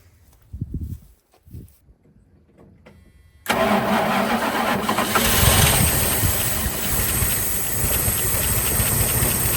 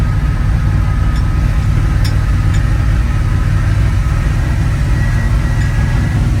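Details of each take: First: 1980 Dodge Power Wagon W300 1-ton 4x4 truck sitting for years, engine unknown, battery connected, pre-mix gas poured down the carburetor: short cranking bursts then it catches abruptly and runs loud and ragged on poured fuel, exhaust heard. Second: 1980 Dodge Power Wagon W300 1-ton 4x4, carbureted V8, revived after sitting for years, after a short drive: deep, steady rumble, even beat, no misses or knocks, running smoothly.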